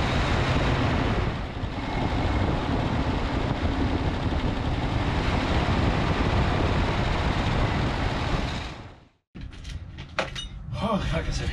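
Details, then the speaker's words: 1964 Cadillac Fleetwood on a motorhome chassis with a 429 V8, newly fitted replacement carburetor, running for the first time: steady, even V8 rumble at constant speed, no misses or knocks, then shutoff; engine running normally. "Now that the engine runs, we add a 200-pound old moldy seat."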